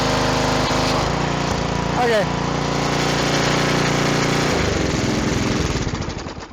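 The small engine chugs at a steady, fairly even beat, about 220 a minute, and holds speed with no surging; it runs normally.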